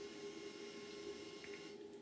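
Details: Humax Freesat box feeding a Triax Tri-Link RF modulator: steady buzzing whine over hiss on the TV sound; the box outputs high-frequency noise that the modulator passes on; fixed cheaply with a low-pass filter.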